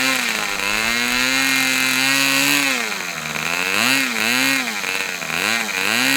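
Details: Customer's Fox twin-cylinder glow model engine after leaning low-speed needle about three clicks: high buzz rising and falling cleanly with throttle, no sag or cutting out; both cylinders running well.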